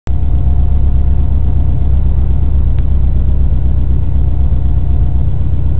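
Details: Subaru WRX, built EJ257, heard from inside the cabin with windows up: boxer idle with a faint quick tick from the right-hand head area, present since first start. Once only about 2 minutes after a cold start, now constant; rises with revs, gone on overrun. Cause unknown.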